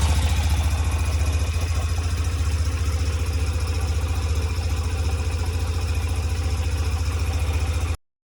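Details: 2007 Yamaha YBR125 after fitting an upgraded KEMSO fuel pump (it had kept overheating in the sun), fuel primed: low, steady thump at a settled idle of about two hundred pulses a minute, no stumbles or surging; engine idling healthy.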